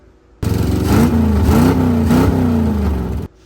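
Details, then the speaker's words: 1956 Chevrolet Bel Air 265 V8 on long-tube headers with no mufflers: brief raw blatting roar as it revs up and drops, far too loud; open headers, before fitting 24-inch Cherry Bomb exhaust with turnouts. "got yelled at last time because the car has long tube headers and that's it."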